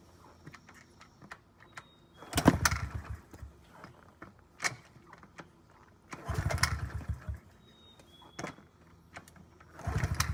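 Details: 2009 Honda CRF50F pit bike, not started in 2 years, kickstarted with choke up: three separate kick bursts, each a brief sputter dying without catching; hard starting because the choke was left on too long.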